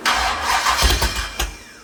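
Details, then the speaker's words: Rebuilt 426 Gen 2 Hemi crate engine (new heads, intake, pistons) first start on a run stand: cranks and fires quickly into a loud rough-edged roar with blips, then settles; oil pressure jumps to 50 psi; normal start. "Here's our 426 crate hemi first start. See how she goes."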